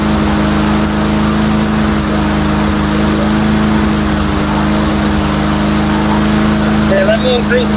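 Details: Mastercraft 3-in-1 mower with a replacement engine, old unit, test run before cutting grass: steady small-engine drone at slightly raised speed, fairly even with minor unevenness; running not too bad, owner suspects carburetor.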